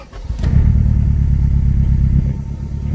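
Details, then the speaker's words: Turbo Honda Civic that had been sitting, started running badly on a drive: rough, loping idle with an uneven low beat from a dead miss on one cylinder, found by pulling plug wires; air-fuel ratio reads significantly leaner than before. "she said she's a dead miss if you can't hear it sorry about that my phone's going on there you can hear good right there so yeah it's got a it's got a dead miss"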